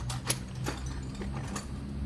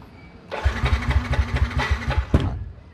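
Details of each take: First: Yamaha NMAX fuel-injected scooter that cranks but won't start, engine off, key turned on, ear at the fuel tank: faint hum with a few light clicks as the fuel pump primes; pump working normally. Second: Yamaha NMAX scooter: the starter spins the engine about two seconds at roughly four even compression beats per second and never catches. Fuel pressure reads four bars, so fuel is ruled out.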